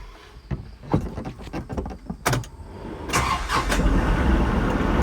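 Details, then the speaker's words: Kubota Grand L3560 HST tractor with BH92 backhoe reconnected, driving around: loose clicks, then steady diesel running with no hydraulic whine or hum. "no issues no issues no noise i'm good to go"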